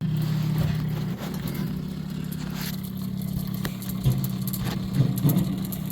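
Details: Maytag washer drain (discharge) pump switched on during troubleshooting, belt still good and pump motor very hot: steady low electrical hum with no water moving; the washer hummed without draining, and the old pump's impeller shaft proved broken, replaced with a new pump.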